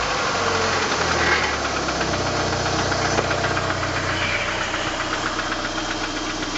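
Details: 1989 PGT with suspected rod knock; steady, fairly regular knock about four a second over a rough idle, source not pinned down, cause suspected not confirmed.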